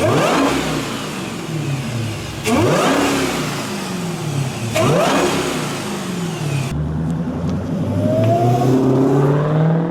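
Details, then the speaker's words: Dodge Challenger SRT 6.2 V8 supercharged HEMI fitted with a K&N cold cone filter in place of the stock air filter: throttle stabs bring a rising roar with a climbing whine following engine speed; normal blower whine, louder through the open filter. "And now we're going to test how this thing going to whine. Okay, let's hear the whining sound."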